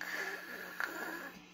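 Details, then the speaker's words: Orange 35RT amp, dirty channel, gain at about three o'clock: steady hiss with a thin whistle around 1.7 kHz, fading near the end; high-gain noise, reduced by an ISP Decimator pedal; source not pinned down. "he apparently was putting the gain at three o'clock and was getting some noise"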